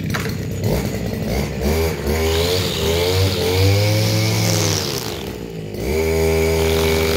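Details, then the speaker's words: Stihl FS230 brushcutter in a stall test on hard ground/gravel: two-stroke screaming under hard load, pitch sagging and recovering as the head digs in, never stalling; healthy and very strong under heavy load. "Okay, so that is a no stall. You cannot get this thing to stall. Otherwise, you must be extremely strong."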